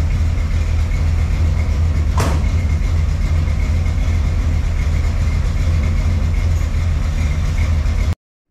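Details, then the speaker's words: 1979 Ford F100 after engine removal and reassembly: a steady, even low rumble with no knocking or tapping over it. Normal running; the previous engine noise is gone, though the clutch still slips. "So we got it all back together. She's running as you've seen."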